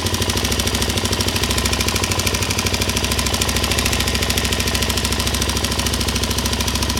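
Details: LTZ 400 single-cylinder at idle: sharp, even tick about three per second from the cylinder head; top-end ticking, cause unknown.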